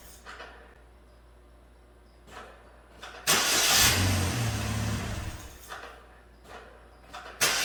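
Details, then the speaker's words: 2009 Chevrolet Malibu Hybrid, 110,000 km, transmission in limp mode, mass airflow sensor disconnected; brief crank, then the engine catches with a loud surge that sags unevenly. Rough running with MAF unplugged. "so let's see if i can keep it running i think it's mass airflow"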